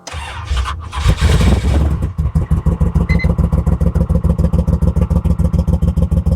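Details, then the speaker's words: Monte Carlo SS G-body, carbureted on E85, cold start at about 40°F in rain, before a carburetor swap: after cranking it catches into a lumpy, loping idle of about three uneven pulses a second. It sounds down a couple of cylinders, likely misfiring. "Sounds like she's down a couple cylinders, huh?"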